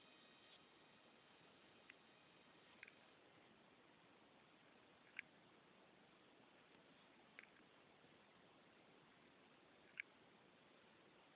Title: iPod Classic clicking noise from hard drive